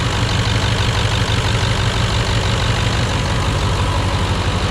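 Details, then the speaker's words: Ford OBS 7.3 diesel Super Duty after the dual belt tensioner upgrade fixed a front-engine squeak: steady, even diesel idle clatter with no squeal; normal idle. "Do you hear that? Yeah, exactly. You don't hear anything else other than the beautiful sound of this truck."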